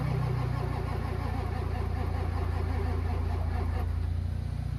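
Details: Diesel truck engine cranked in winter: low, steady cranking pulses at about three and a half per second with no catch; the engine keeps turning over but will not fire.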